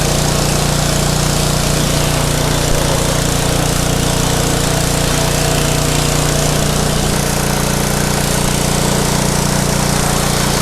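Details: Craftsman pressure washer, 5.5hp Briggs and Stratton Intek 190, gifted with run issues: loud, steady small-engine drone holding even speed with no misses, knocks or hunting after repair; run about 10 minutes to warm oil; normal running.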